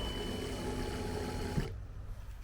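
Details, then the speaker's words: Turbo BMW E36 running lean, fuel pump revived after touching a shorted fuel pump relay: steady even electric whir under two seconds then cutting off; normal fuel pump prime. "I just touched this thing right here and I guess it's a little shortened because now my fuel pump works again so listen to the fuel pump"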